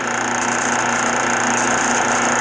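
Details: 1976 Westinghouse electric dryer, 43 years old, running empty: steady scraping rub and light rattle over the hum, as a worn bronze motor bushing tilts the pulley so the belt rides against the tension idler; hard starting too.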